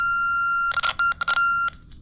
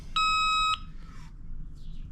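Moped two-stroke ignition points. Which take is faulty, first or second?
first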